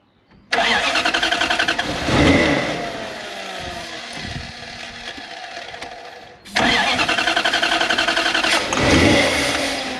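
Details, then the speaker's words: Toyota 1UZ V8 in an FJ40 Land Cruiser barn find, long stored; on start attempts it catches, surges and sputters unevenly, then dies each time; very seized injectors suspected, not confirmed. "did you hear that oh you want me to do it again yep i think we've probably got very seized injectors"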